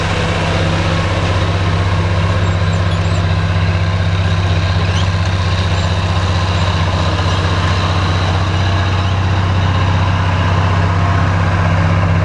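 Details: Oliver 1550 diesel tractor pulling a JD BW disk about 6–8 inches deep, running well once whatever was in the fuel system cleared: low, steady drone at constant speed, even firing, no knocks or misses under load.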